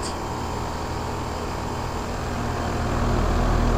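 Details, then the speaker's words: 2001 Trane XE1000 Weathertron 5-ton (60,000 BTU) heat pump outdoor unit running in heat mode, temperatures dropping into the 40s: loud steady fan roar with a fast low throb as the cabinet, fan grille and condenser cover shake heavily. "this thing's very shaky this is um shaking this um the fan grill is shaking the um loot the um condenser cover on this side is shaking"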